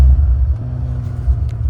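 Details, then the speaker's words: 1986 BMW 535i E28, revived after sitting 5–10 years, after reattaching a loose vacuum hose: rough idle dips, nearly dies, then surges back, repeating with each throttle input; runs worse with the new coolant temp sensor plugged in, cause not yet pinned down. "Go down. Kind of dies and then it does that and then it comes back down. And you try to give throttle again and it does it again."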